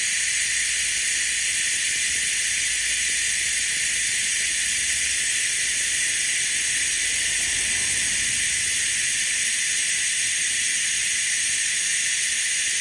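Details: Harbor Freight venturi vacuum bleeder on shop air pulling vacuum on a Jeep YJ cooling system, aiming for about 25 inHg; loud, steady high hiss with no sputter or pitch change, normal operation. The system later lost vacuum, indicating a leak.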